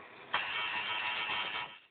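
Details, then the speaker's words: Advent 7081 early-2000s notebook running a fresh Windows 98 install, mouse not yet recognized properly. A hissy buzz from the speakers for about 1.5 seconds when the mouse is moved, then fading. Speaker noise when moving mouse. "Right, so when I move this around, it just makes noises at me. Hear that? Like it's not interpreting the mouse right."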